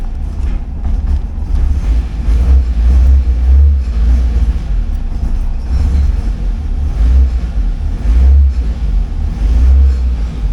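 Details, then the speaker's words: 1979 Porsche 924 started after brake, master cylinder and wheel-bearing work and an oil fill of 5 liters; it starts right up and oil pressure reaches 4 bar. A deep, steady rumble with even pulses and no knocks or ticks. "There, it started right up. Oh yeah, and then the oil pressure comes right up."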